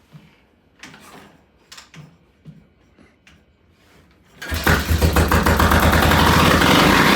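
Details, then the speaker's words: Vintage British T20M single, pilot jet and idle settings unchanged from the day before: a few quiet clicks, then it fires and races up hard and fast with no throttle; high idle from incorrect ignition timing. "So it's coming up really fast. That's you're on the throttle? But I'm on the throttle, yeah. All right. It's always like the little open throttle. That's without me moving it."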